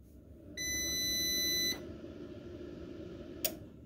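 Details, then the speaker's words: New CyberPower CPS1500AVR rack-mounted UPS, fully charged, no load, switched on: a steady high beep of about a second, then a quiet hum and a single click. Normal power-on self-test; the owner's complaint is a later loud thunk and full-speed fan. "self-test complete loud thump and then the fan just goes crazy and it'll stay that way and definitely the air coming out of the fan is cold so gotta contact cyber power on monday and see what the deal is"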